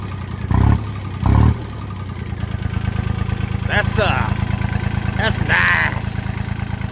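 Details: John Deere 1050 diesel tractor started with a little fuel; it catches after a couple of cranks and settles into a steady, even low idle with a clean beat; healthy engine.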